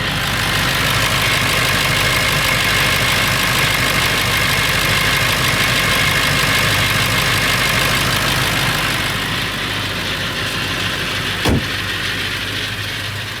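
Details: Late 1999 Ford F350, 7.3L Powerstroke diesel at idle: metallic rattle about three times a second over hissy background, more pronounced under the truck; owner suspects flexplate or engine, source unclear.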